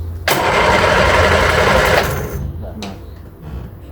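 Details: Reliant Regal Supervan 3 three-wheel van, petrol engine refitted after years as an electric conversion, first start attempt: starter churns evenly about two seconds with no firing or catch, then stops.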